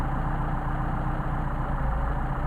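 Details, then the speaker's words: Mercedes 190SL Solex carburetors, each running independently during idle mixture adjustment: low, throbbing idle sags as rpm drops off with the mixture screw turned toward the extreme; rough idle from incorrect idle mixture setting. "hear the RPM dropping off coming back out starting to drop off again after go to the extreme and here how badly starts to run"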